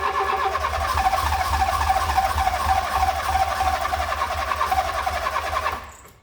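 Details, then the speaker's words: Fiat Punto GT long unused; engine runs unevenly for several seconds then dies out, stalling shortly after starting; owner suspects it ran out of fuel or the fuel is bad; engine stalls after starting. "Okay, so we got it started. It did cut out again. I'm going to assume that the reason it stopped working is because it's now run out of fuel, or the fuel is dodgy."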